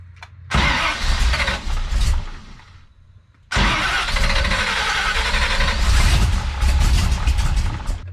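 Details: Big-cam big-block Chevy, rebuilt Holley 750 double pumper with holes just drilled in the throttle butterflies, reset to base settings: cranks, catches, fades, refires and runs lumpy, struggling to idle; carb thought to need more. Hard start and won't idle.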